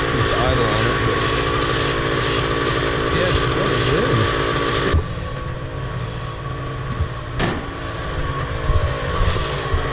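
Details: Miniplane Top 80 paramotor two-stroke test-run after replacing the secondary ignition coil wire and spark plug boot: a steady, even buzz settles to a lower, smooth note with no misses or coughs. It is running healthy after the repair.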